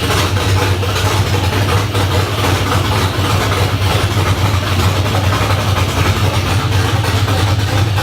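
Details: LS1 V8 swapped into a 240SX, first start with open headers, new fuel filter: loud, lumpy, choppy idle with heavy cam loping and raw exhaust bark, running steady and even; some oil and coolant leaks noted.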